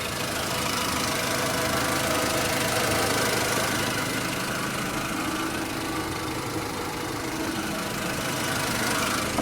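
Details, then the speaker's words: 2007 Volkswagen City Golf, 2.0 L four-cylinder, 5-speed manual, 129,000 km, with the ABS light on, at startup. A fast ticking puff rides over a louder-than-normal idle; the owner suspects an exhaust leak underneath, unconfirmed. "Fires right up. I can hear that. I don't know what's wrong with the exhaust. I think there's a leak under it."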